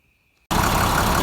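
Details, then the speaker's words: International DT466 diesel truck, first start after in-frame rebuild with fresh oil and coolant: silence, then engine catches into gruff, slightly uneven shaky idle; injectors still need to prime, rough idle. "Right now it's a little shaky. The injectors need to climb up. You can hear it."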